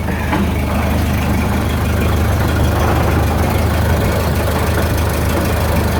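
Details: 1929 Ford Model A pickup on jacks, running in gear: loud low rumbling racket with uneven churning beat from under the truck, seemingly from the rear end; rear axle gear noise, owner suspects a damaged splatter gear.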